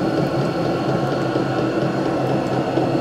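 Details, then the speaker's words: Vevor 12 V 8 kW diesel air heater turned down by remote from H3 through H2 to H1, still putting out good warmth: quiet, even fan whir with faint steady hum, no knocking or sputtering; normal running on low setting. "jetzt sind wir auf H3 H2 H1 dann können wir vielleichtz noch mal messen ich muss sagen das Ding funktioniert richtig gut es ist ordentlich warm"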